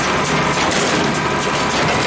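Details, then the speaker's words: Hay baler on tractor PTO running empty; the drive churns with dull, heavy knocks on each plunger stroke, and the owner suspects the plunger bearing or worn side guide wheels letting the plunger run loose; it is less bad with hay in it. "so I'm guessing the plunger's loose. It's not as bad when there's hay in it."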